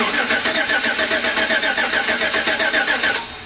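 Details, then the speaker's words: Daily-driver truck that stopped starting, no fuel pressure at the rail: starter turns the engine evenly but it never tries to fire; crank no start with no fuel. "there you can see it just cranks it doesn't try to fire it doesn't do anything it just cranks"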